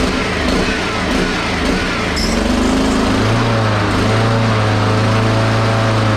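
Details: Honda HRX217 mower engine, fuel looks good (water possible), runs unevenly, pitch wandering then climbing and settling; carburettor looks nasty and a part fell off, possible vacuum leak suspected as cause of rough running.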